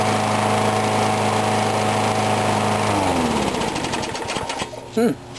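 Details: Briggs & Stratton mower, cold start at 35°F after sitting with water in the gas, started first pull; even, steady buzz for about three seconds, then speed falls away at shutdown, running normally with no misses.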